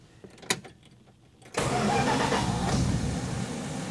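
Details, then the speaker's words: 1966 Plymouth Fury after rewiring the ignition resistor block connections: clicks and cranking, then fires cleanly into a smooth, steady idle with no bucking, surging or backfires; normal start. "you hear how smooth she runs now that's right no more jumping around bucking surging and no more backfires"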